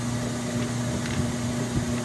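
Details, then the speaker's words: Kenmore 80 Series washer agitating on extra-slow setting: steady, quiet low motor hum with almost no other sounds and no knocking or grinding, behind faint outdoor noise; healthy. "that's quiet granted yes it's on extra slow but that's quiet"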